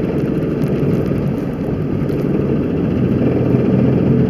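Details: 2003 Jeep Grand Cherokee Laredo, 4.0 inline-six gas, 291,000 miles, driving in 4WD, where the noise is easier to hear. Deep steady growl under the driving noise; the light tick is a long-standing separate noise. Drivetrain growl.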